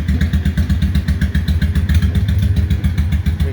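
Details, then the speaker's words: 2003 Honda Shadow 750 Spirit, carbureted 745cc V-twin with aftermarket exhaust, start on choke: starts right up, deep even lumpy idle with slight crack and rumble, spitting a little water from exhaust; normal idle. "oh it starts right up like that got the choke you can hear the exhaust a little bit of a crack rumble going on it's just clean so it's spitting out a little water there sounds like a cruiser"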